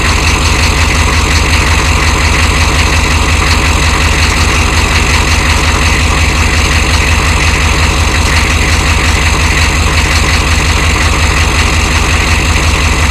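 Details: 1993 Chevy dually 6.5L turbo diesel 4x4, smoky cold startup without block heater, idling: steady, fairly even knock about three per second over the low rumble; engine knock at cold idle of unknown cause.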